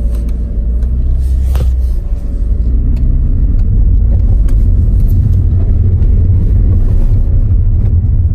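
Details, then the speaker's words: Toyota Auris after replacement with a second-hand gearbox and gear oil change, first test drive: smooth, even low road and drivetrain rumble with no scraping or grinding anymore; brakes creak slightly; normal gearbox operation. "take it easy here with the first drive [Music] yeah it's no scraping anymore"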